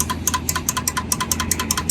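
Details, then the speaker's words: Suzuki GS150 SE motorcycle, phone near the seat: rapid sharp relay ticking, about five a second, with no cranking; starter relay clicks but the self-starter motor isn't turning over, battery ruled out. "Self का ना, अभी आप ज़रा गौर से इधर seat की तरफ लेकर आएँ मोबाइल को, और ज़रा सुनिएगा टिक टिक की आवाज़ आती"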